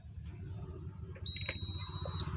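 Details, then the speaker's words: Usha induction cooktop that won't power on. A single clear high beep of about a second over a low hum; the power button switch is suspected. "दोस्तों यहां पर जो हमारा सबसे ज्यादा problem आता है दोस्तों हमारा यहां पर जो हमारा में और पावर बटन है दोस्तों इसमें ज्यादा प्रॉब्लम है"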